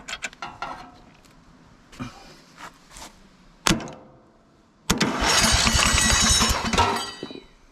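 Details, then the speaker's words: Free riding mower that sat about a year with a reported electrical problem, cranked on a booster pack; it spins over briskly with even compression but never fires; owner plans to unplug the kill switch wire. "well it turns over you know this this wire right here is the kill switch wire and i think i can just unplug it from right here"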